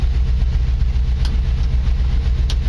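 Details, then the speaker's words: 1949 Chevy truck school project, running and driving after three years of work; smooth, even low idle rumble with steady pulses and no knocks or misses; runs very well; normal idle. "I tell you what I feel the need the need to go around the block in this truck because it does run very well and I'm actually kind of surprised by how well this thing runs"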